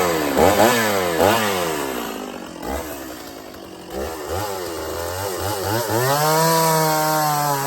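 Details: Stihl 024 chainsaw after carb tuning and an aftermarket air filter, running without choke while cutting a log: crisp revs, brief dip as the chain bites, pulls back without stumbling; runs normally, not missing much.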